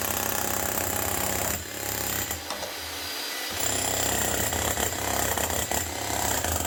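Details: Bosch GSH 11 E 240 V hammer after repair with an aftermarket AliExpress copy armature and fresh grease: rapid, hard, rhythmic slapping at three to four blows a second over the motor hum; hammer mechanism striking properly.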